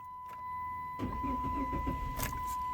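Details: Chrysler 300, possibly 2006: key-on chime, pause of up to 5 seconds, then starter cranks and engine catches; delayed start and random stalling, codes P0605, U0101, P0601, traced to a failed transmission control module.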